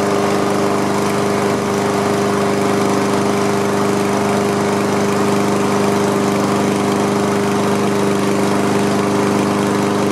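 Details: Honda HRM215 lawn mower started after fixing a clogged fuel line, carburetor, pull-rope assembly and rear-wheel drive: the single-cylinder engine holds a steady, even drone at working speed with no misses or knocks; it runs normally.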